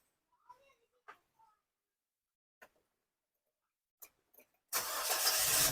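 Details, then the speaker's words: Nissan Grand Livina with a rough-running, vibrating engine, started after repair and clearing history codes (P0350, P2127, P2138) without relearning; cranks, catches promptly and settles into a steady, even normal idle. "Oke, alhamdulillah ya. Stasionernya apa? Stasionernya atau idolnya dia langsung normal ya."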